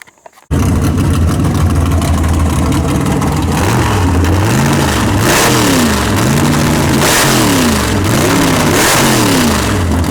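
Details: V8 "Bad Penny" big-block Chevy after tunnel ram swap, barks to life and revs up and down in smooth, even sweeps with no knocks or misses, running healthy.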